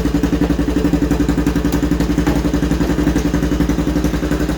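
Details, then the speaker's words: 2011 Honda Recon 250 ES ATV at startup idle, key on, neutral, kill switch off: loud, open single-cylinder idle with lumpy, uneven chuff about 220 a minute; running rough, cause not yet known. "Yeah, you hear that? It's not running real well."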